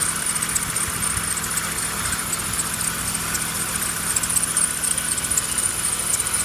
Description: /Here's my BMW E36 with m50b25 (with air conditioner). There is some strange squeeze. Who knows what is the problem and how to fix it.